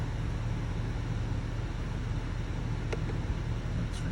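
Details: 2022 Chevrolet/GMC 2500 Duramax diesel idling after a fuel filter change and priming. Low, quiet, even diesel rumble with no stumble or hunting: the engine idles cleanly after the filter change.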